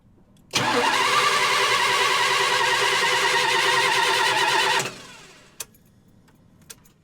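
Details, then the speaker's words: 1977 GMC motorhome with HEI ignition, cranking with a screwdriver spark test at the valve cover: starter spins evenly three to four beats a second for four seconds, never catches. There is no spark; the HEI ignition coil has failed. "And no spark at all."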